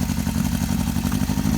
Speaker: this bike starts easily and runs really well, which I'll show you.